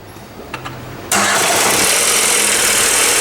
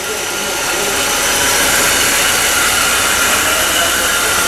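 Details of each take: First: 2011 Ford Ka 1.0 Zetec Rocam, with a history of overheating and cylinder head work: on a cold first start it catches after a brief crank into a fast, busy idle with a rough knocking edge. Knocking on cold start. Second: 2011 Ford Ka 1.0 Zetec Rocam, brought in for a noise on first start: even, steady running with no knocks, ticks or rhythm changes over ten seconds; a healthy, smooth idle.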